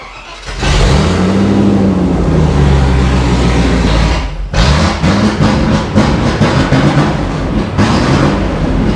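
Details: Range Rover Classic V8, restarted after 7 years sitting, after vacuum pipe checks: catches and revs then settles into uneven, lumpy idle with wavering beat; still running rough, cause not yet found.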